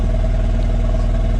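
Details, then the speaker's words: 2016 Takeuchi TL12 V2, Kubota V3800 diesel at idle during injector cut-out test: uneven, lumpy beat; cutting cylinder one injection makes no difference, so cylinder one is already dead. "so I just clicked it and if you can hear it it did not make any difference to the machine"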